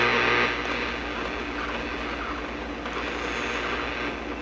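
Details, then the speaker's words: Circa 1965–66 GE C1530 tube AM/FM clock radio: a steady raspy buzz under weak station audio, worse at the low end of the dial; interference from nearby utility power lines, not a radio fault. "been fighting with the power company out here for about 3.5-4 weeks on this power line buzz that you hear on my radio."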